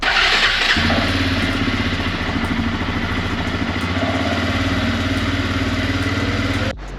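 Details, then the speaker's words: Suzuki Eiger QuadRunner four-wheeler with high and low ranges, started in neutral, cold start after sitting about a month; single cylinder catches and settles into a steady, slightly uneven thump with no knocks or rattles; normal cold start. "They are not around today, so I am going to start it. A cold start. It hasn't been started in maybe a month, and take it for a nice ride."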